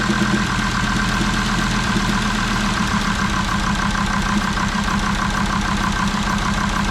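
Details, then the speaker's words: Jeep Grand Cherokee WJ 2.7 CRD (OM612 diesel) during a 10–15 minute flush run after a new filter, water-in-diesel light on. Smoke is slightly reduced. Uneven, clattery knock about three a second with a lumpy stumble. Knocking and misfire at idle, cause suspected, not confirmed. "hts came on and then a lot of misfiring and a lot of knocking noises but still R very okay"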